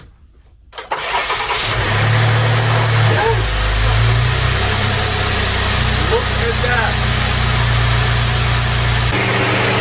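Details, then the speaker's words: Salvage 2024 Buick Enclave Avenir after engine removal and reinstall, with booster pack connected: fires instantly with no hesitation and settles to a steady even idle. Normal engine start. "Oh my goodness, guys. Did you see that? No hesitate. No hesitation whatsoever. Started right up. That is absolutely insane."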